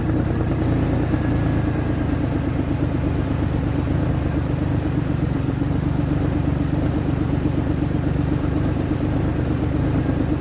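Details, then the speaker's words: 2003 Ford Explorer that failed inspection for misfire, after replacing bad ignition coil: steady even low rumble, no stumble or skipped beats, smooths out with throttle: normal running. "Running smoother than it was. And once I put some pressure on it, it smooths right out. I like it."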